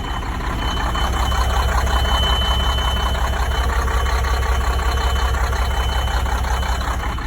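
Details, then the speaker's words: Sterling semi truck with Cummins engine, sitting 8 years, after reconnecting an undone inline fuse: deep even diesel idle with steady pulse, faint high tone, no misses or knocks, good oil pressure. Normal idle. "There we go. He's running. Oil pressures. Yeah, boy."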